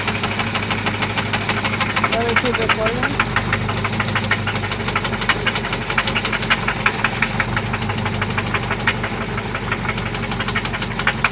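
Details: 1995 Toyota Celica ST after an oil change and new spark plugs: sharp, regular ticking knock about three per second over a steady idle, seemingly from one spot; engine knock of unconfirmed cause.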